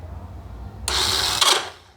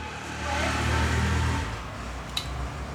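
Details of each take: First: Honda XRE 300 motorcycle pressing the electric start: a harsh, short grinding rasp with no catch or firing, and it will not start. The starter one-way clutch is slipping; the engine is disassembled to fix it. Starter clutch slipping. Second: Honda XRE 300 after starter plate (placa de partida) replacement and fresh oil fill: a clean crank that catches quickly and settles into a steady run, no grinding from the starter side; normal electric start after repair.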